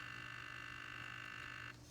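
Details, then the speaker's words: 3D-printed Iron Man helmet faceplate servo powered by 4 AA batteries, Arduino controlled: steady rapid buzzing hum while holding position because the batteries are going dead. "Batteries are going dead on the servo. That's why you hear the humming."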